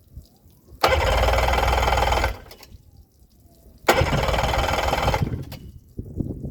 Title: Yamaha 90 crank no start after CDI swapp